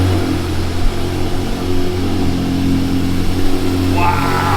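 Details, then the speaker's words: Flood-damaged manual Ferrari, just restarted after July 2025 flooding with new battery and redone wiring: steady even hum with low constant drone, no knocks or misses; running strong. "See, it sounds like it's running strong. Sounds good."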